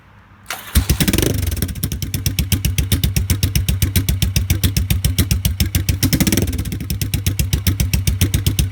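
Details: 1986 Yamaha XV750 Virago twin with debaffled straight pipes, after fitting DIY lollipop baffles: starter catches and it settles into an even, loping exhaust beat near four pulses a second, deep and clean; healthy idle.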